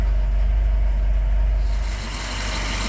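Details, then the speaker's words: 1967 Citroen DS 21 Pallas, 2.1 four-cylinder idling, heard under the bonnet, starts well hot or cold, no overheating: smooth, even low idle with no knocks or misses, suspension pump occasionally kicking in and out; normal idle. "little 2 point uh 2.1 engine four-cylinder doing what it should you can also hear the suspension pump occasionally kicking in and [Music] out but uh just does what it's supposed to do"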